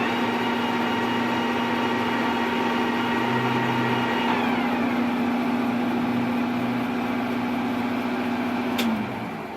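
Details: C11MB lathe: a steady hum carrying a high whine that steps down in pitch partway through, then the machine winds down; abnormal whining noise, cause unclear.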